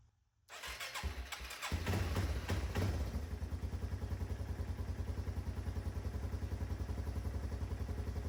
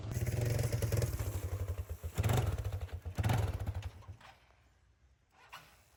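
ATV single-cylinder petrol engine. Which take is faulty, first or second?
second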